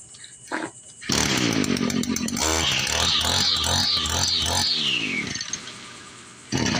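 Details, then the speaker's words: Echo SRM-210 two-stroke string trimmer after primer bulb replacement: fires after a second, buzzes up through a few blips, then winds down cleanly; starts and runs normally. "Here we go, guys. Just one primer bulb, $7 at AutoZone for a 3-pack. And we got a running weed eater."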